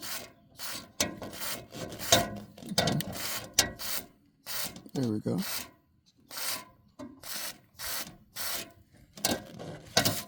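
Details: Roof turbine vent squeaking as the vane head turns: irregular dry scraping squeaks about two a second from a dry centre spindle bearing; fixed by spraying WD-40 into the centre without disassembly.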